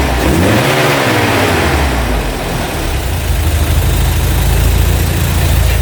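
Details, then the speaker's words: Opel Manta GTE Exclusive, sat 30 years, on 30-year-old fuel, warmed up a few minutes with no leaks: clean rev climbing smoothly and dropping back to an even, steady idle, no knocks, misses or rattles; healthy engine. "oh that sounds sweet as enough"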